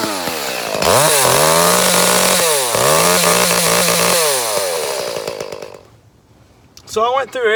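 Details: Echo CS 310 chainsaw, about six or seven years old, running poorly for months and progressively worse despite new air and fuel filters: two-stroke screams to high revs then abruptly cuts out and dies; high-rev cut-out.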